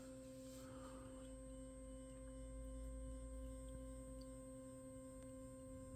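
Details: Steady tonal buzz with a low rumble as a 3D printer tries to home an axis after the bed plate was loosened and lowered, instead of moving back up; cause not confirmed.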